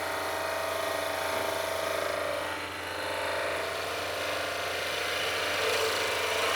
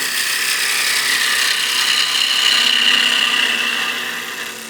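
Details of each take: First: Skew chisel on a lathe pushed into the bevel too hard: harsh, rough scraping cut with a faint steady tone underneath, discoloring wood and leaving ridges and indentations. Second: Skew chisel peel cut on a lathe: steady high, airy hiss of a sharp edge shearing wood, swelling midway then easing off, peeling the wood away in long shavings; normal clean cut.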